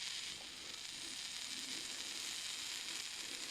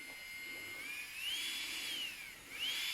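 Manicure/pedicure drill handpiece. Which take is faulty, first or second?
first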